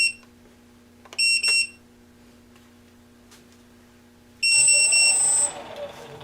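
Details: Parallax Elev8 quadcopter with HoverFly board, on the bench after swapping two ESC motor wires to reverse rotation: two quick high double beeps then a long high tone over a faint hum; flight controller arming.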